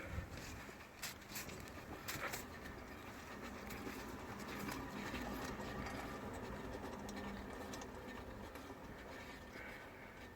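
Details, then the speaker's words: Jaguar XF front wheel, car jacked up, no play at 12/6 or 9/3: spinning it by hand gives a low, gritty rumble fading as it slows. Failed wheel bearing, behind a juddery ride; bearing replaced. "you hear that low Rumble doesn't sound good and so this bearing has uh failed"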